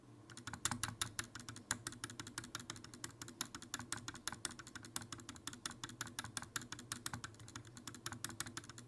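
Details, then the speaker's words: Fnatic Streak65 low-profile keyboard with Fnatic Speed switches, thin ABS keycaps, factory-prelubed custom stabilizers: rapid crisp key clacks with an insanely loud loose rattle on spacebar strokes from its stabilizer. "They come prelubed to reduce rattle, but my spacebar has an insanely loud rattle."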